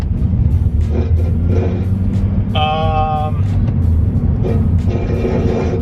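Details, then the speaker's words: Honda Accord just lowered on MCA XR coilovers, driving down the street: irregular rasping drags over road rumble as the exhaust scrapes the road. "The exhaust is literally scraping, just driving down the road."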